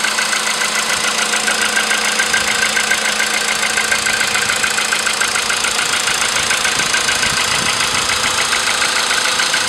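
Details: VW Polo sedan with CFN engine, cold start in the morning after sitting overnight at about 10°C outside: a sharp, regular ticking knock at about three and a half per second rides over the cold idle; cause of the engine knock unknown.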